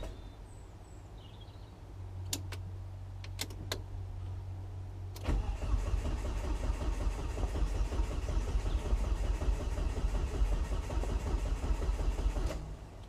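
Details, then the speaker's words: Volvo S40 with Holset HX40 turbo on new Speeduino ECU: about seven seconds of steady cranking at roughly three beats a second that never catches; ECU reads no engine speed, fuel smelled; crank sensor suspected. "so i notice engine speed isn't picking up engine speed is not picking up crank sensor definitely got fuel because i can smell the fuel so that's happening i think it is purely purely down to the crank sensor"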